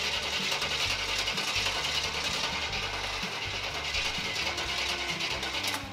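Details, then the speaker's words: Chevrolet K10 Squarebody with 355 V8, sitting about six years, fuel pump unhooked for a flooding check: steady starter churning about three and a half turns a second without firing; battery sounds weak; slow cranking. "Oh, the battery sounds a little weak."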